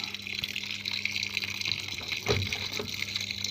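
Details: Washing machine that had no water flow, after its water inlet valve was replaced: a steady rushing hiss of water pouring in, strong and uninterrupted. Water now flows normally.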